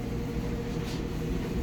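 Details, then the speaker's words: Kenmore Elite electric dryer, model 110.68062801, after replacing worn drum idler wheels and belt: smooth, steady low hum from the drum with no banging, thumps or squeal; the dryer now runs quietly and normally. "this is the dryer running now you can hear how quiet it is everything's back to normal"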